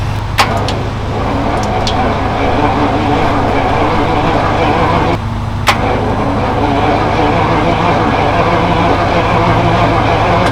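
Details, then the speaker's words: 1976 Jaguar XJS V12 with dead battery, jump-started: steady starter churn turning the engine evenly but never catching. Cranks but will not start. "That doesn't sound good. So now that we know that that's covered, yeah, that's another thing wrong with this car. It doesn't start."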